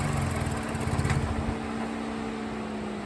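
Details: Mazdaspeed3 turbo four at idle with a rough, steady low knock under the exhaust note; owner suspects rod knock, not proven.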